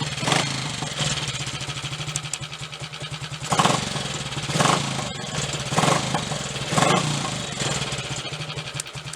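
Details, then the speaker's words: Triumph Tiger Cub motorcycle after misfire repair: the distributor was turned to realign its timing marks and its loose clamp tightened. The engine runs steadily with quick throttle blips, firing evenly with no missed beats; it seems fixed. "We'll have a short run on it shortly and just check, but I'm pretty certain that's got it."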